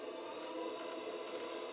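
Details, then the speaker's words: Cheap Chinese pottery wheel running: a quiet motor hum with faint squeaks and dry rubbing noises on top. Not really noisy and fine for studio throwing; the cause of the light rub is not identified. "You will hear it making certain squeaks and rubbing noises. Same with that one over there. It makes some noises."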